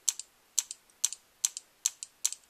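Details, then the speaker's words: DLX Luxe 2.0 paintball gun powered on, eyes off: crisp paired clicks about twice a second as the solenoid snaps with each trigger pull; solenoid working electronically, normal. "just to make sure that one the solenoids working electronically you know when will we turn the eyes off so you can hear the you hear the solenoid clicking"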